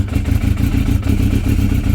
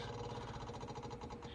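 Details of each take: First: Yamaha YZF600R Thundercat (87,000, hard life, known hard starter), cold start with full choke and idle butterfly opened: lumpy, stumbling revs for about three seconds, then the engine dies to silence; won't stay running cold, cause unconfirmed. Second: Yamaha YZF600R Thundercat, hard-starting bike started with choke fully out and idle adjuster wound in; quick, steady light ticking with faint hum as the fuel pump clicks away priming normally before the engine fires.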